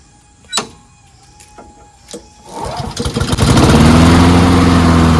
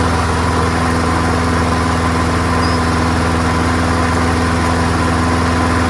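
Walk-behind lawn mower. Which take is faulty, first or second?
first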